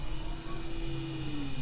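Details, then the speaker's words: Newly installed bronze-gear water pressure pump, replacing noisy diaphragm pumps, first switch-on: a faint, smooth hum whose pitch sags slightly as pressure builds, with no rattle or whine; normal, quiet pump running. "You can barely hear it. I thought it hadn't come on then, but it has."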